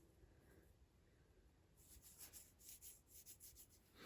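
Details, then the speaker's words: Worn fan assembly bearing from a 782D tractor project turned slowly by hand gives a dry, gritty, uneven rasp from dirt inside; to be replaced with new bearings. "You can hear there's much dirt and stuff in there, so we're gonna get new bearings and put those in there."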